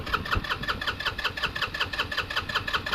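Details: GY6 scooter, garage kept since 2006, sat about a year: quick, even cranking chuffs with firm compression pulses on each stroke, but it never catches; cranks but won't start.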